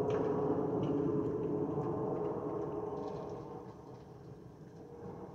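Steady mid-pitched whistle over the cabin roar that fades as airflow changes; the usual fuel over-pressure vent whistle of this family.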